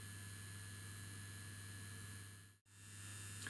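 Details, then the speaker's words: Circa-1963 Ferranti MPT1089 mains/battery radio with added built-in mains supply: steady low hum with buzzy rattle from the mains transformer's loose old laminations, transformer otherwise working, unloaded at about 16 V. "well the transformer works but my goodness don't the old laminations rattle i don't know if you can hear"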